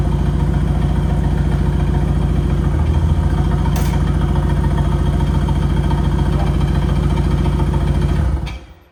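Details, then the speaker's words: Holden VL turbo project after rechecking ignition timing: even idle at a steady beat with a small step in tone, then clean shutoff; running and idling with timing about right. "You wouldn't read about it, but it's running. It's idling. The timing is about right."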